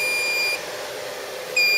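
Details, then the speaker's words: Chenbro RM 314 3U custom server build with AMD CPU, RAID and Blackmagic cards powering on: a steady high-pitched beep cuts out briefly then resumes over faint fan hiss, warning that one fan is disconnected. "So, if I just turn this on, that noise beeping is just to say that one of the fans is disconnected."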